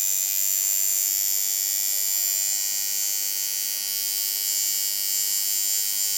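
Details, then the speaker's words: Watson coil tattoo machine after the voltage is turned up and back down to the right setting: a steady, even high buzz with a smooth, consistent needle hit; tuned and running properly. "there it is yep that's it okay so basically what we have here is the sound and the field of the machine you feel that because that's you're feeling the hit of the needle from the armor part"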